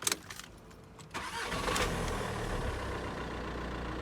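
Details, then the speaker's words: Mitsubishi Outlander 2010 2.0 diesel manual, starter reinstalled after cleaning and greasing corroded solenoid: click then steady whirring spin with no catch or firing, starter not engaging flywheel; problem unchanged, owner suspects weak solenoid or whole starter. "Alright, the problem is the same, so it's not because it's not free or anything, it seems like solenoid is going on the way."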